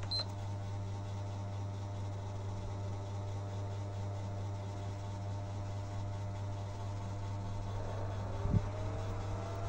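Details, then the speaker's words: PlayStation 3, noisy and slow loading, dusty inside, top cover off after cleaning: constant low droning hum with a faint rattle; noise traced to the cooling fan, which may need replacing. Noisy cooling fan. "kita dekatin ps-nya Ya sepertinya tuh yang berisik itu dari kipasnya ya jadi nanti kita akan coba bongkar kipasnya"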